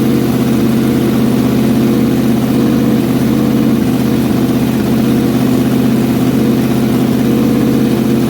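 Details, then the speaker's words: Freshly built old-school 327ci small-block Chevy V8 for a 1957 Chevy Bel Air, break-in run at a 2,000 rpm fast idle before rocker readjustment: steady, even V8 rumble, no knocks or ticks; first run successful, running clean. "First run was a success, so I'm going to go ahead and adjust the rockers again, make sure that they're all good, and then we'll go ahead and start it up again and still run it at 2,000 RPM and let it build some heat and then kill it."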